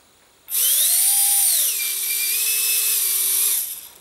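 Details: Micro ducted fan (EDF) on a servo tester after balancing with tape on the hub: spins up to a clean high whine, eases down and holds a steady pitch with no wobble; the earlier raspy, rattling startup tone is gone and the rotor runs balanced.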